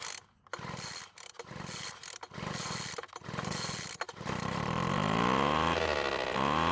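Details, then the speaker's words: Poulan Pro leaf blower that stopped running during use, started with fuel sprayed into the carburetor throat. After a few pulls it fires and revs unevenly with a new rattle, like a dirt bike; loose cylinder bolts are letting the cylinder shift. "surprisingly it started and ran for quite a long time however there was a weird rattling noise that it wasn't making before i think it sounds kind of like a dirt bike"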